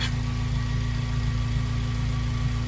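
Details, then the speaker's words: Honda Civic Type R EP3 (K20A) idle with idle air assist valve hoses clamped shut: low, even, steady idle, no more fluctuation; confirms the IAAV as the cause of hunting idle, later fixed with an IAAV delete. "Just clamped that down. No fluctuating idle anymore. Completely quiet."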